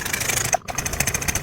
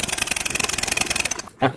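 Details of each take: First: Yamaha NMAX new scooter with no ignition spark and a MIL code: fast, thin starter whir that sags and cuts out midway without catching; starter weak and intermittent despite a good battery, poor electrical supply suspected. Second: Yamaha NMAX new scooter after fitting a new fuse, soldering the side-stand switch wire and cleaning the ground wire: fast, even starter whirr with quick regular pulses, then cuts off; starter now spins strongly, unlike before.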